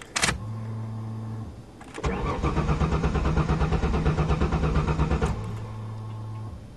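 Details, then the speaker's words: 1994 Ford Taurus wagon, fuel pump primed. The starter churns steadily at about three compressions a second but the engine never catches, because the gas tank is empty (fuel suspected stolen, cap missing). "I wonder does a gauge work a I bet someone did steal the gas bastards all right I'll put some in"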